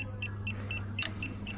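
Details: DAF XF Euro 6 truck with multiple dash faults, engine power reduced and exhaust malfunction: regular short high beeps, about four a second, over a low engine hum; dash warns because the replacement ECU isn't compatible.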